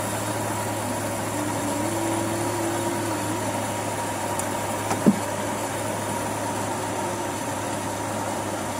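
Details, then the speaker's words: Carburettor engine that started easily but died when the throttle was released, after carburettor service and cleaning of the uncleaned rubber hose: steady low drone holding constant, no stumbling, hunting or dying; problem solved, normal idle. "Jadi selesai masalah. Tu saya kata mati enjin."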